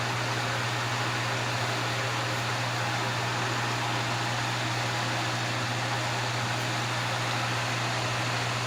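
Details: Vintage Wizard hassock fan with a motor transplanted from a Mainstays box fan, on high speed. Steady low motor hum under an even rush of air, quiet with no rattle, scrape or vibration; running smoothly.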